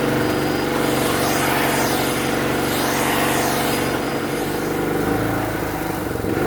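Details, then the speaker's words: Free generator that had sat unused for a year or more, running unloaded after the old fuel was drained: slow rise and fall in its drone, hunting instead of holding revs; runs fine under load, and the owner suspects the carburetor still needs cleaning. "So, as you can hear, it does uh surge a bit when when it's not under load. Uh I guess that means the carburetor still needs a bit of a clean."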